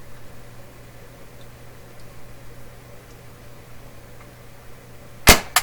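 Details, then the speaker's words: Westinghouse tube console receiver with record changer, just fitted with a new NOS cartridge and needle: quiet hum, then one sharp loud pop and a smaller click in the speakers as the record player shuts the power off. "Boom! She's off with a big click in the speakers."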